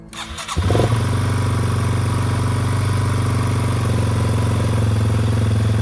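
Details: 2000 Yamaha TW200 dual-sport, revived after sitting a few years with a new battery, replacement carburetor and the air filter removed: quick cranking, then a steady, even single-cylinder thump with no misses or knocks, a healthy start.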